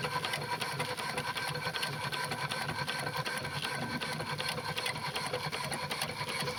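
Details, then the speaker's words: Burrell steam engine after replacing a worn connecting-rod big-end bush: steady, even chuffing with mechanical clatter and no heavy knock, the knock appearing to be gone; the water pump is switched on and off to make the difference clearer. "Running the engine now, the knocking sound appears to be gone. It can be hard to tell with the sounds of the water pump, so I turn the water pump on and off here so you can hear the difference more clearly."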